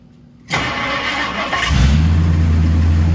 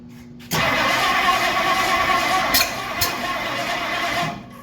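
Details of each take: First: 1964 Ford Galaxie V8 first start after 30+ years sitting, exhaust cut off: short crank then deep steady idle, no valve train noise; running sweetly. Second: 1964 Ford Galaxie, first start attempt after 30+ years sitting, exhaust cut off: starter spins about four seconds with uneven churn but never catches; owner suspects something 180° out, unconfirmed.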